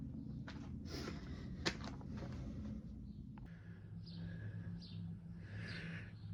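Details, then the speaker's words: BSA Rocket Three Mark 2 five-speed (A75V) triple after carburettor service for erratic running, started from cold with choke backed off: steady, even low idle on all three cylinders, sounds much better; normal cold idle. "there we go uh sounds good took a little to start it because I think it was over choking it so as soon as I backed off the choke a bit and give it a more bit more air it was fine"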